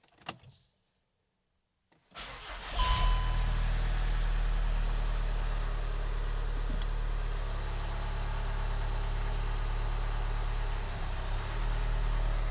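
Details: VW TDI with DSG at about 192k miles, just after dual mass flywheel, tensioner and alternator pulley replacement: short crank, clean catch and smooth steady diesel idle with no flywheel clanging or rattle; normal start and idle.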